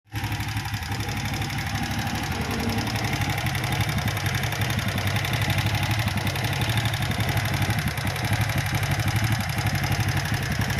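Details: Honda Supra Fit motorbike that was smoking, before repair: lumpy, uneven idle with a loose clattering tap over the low engine note; piston scored from running short of oil.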